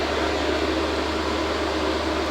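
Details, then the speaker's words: EASUN Isolar SMV III 3kW 24V inverter under load test, 2.14 kW AC output and about 2.3 kW DC draw: a steady, even whoosh from both cooling fans with a low hum and no rattle. The fans are operating normally. "එතකොට 2.3 kilowatt වගේ ගන්නවා DC එකෙන්. ඔයාලට ඇහෙනවා ඇති fan දෙකම on වුණා."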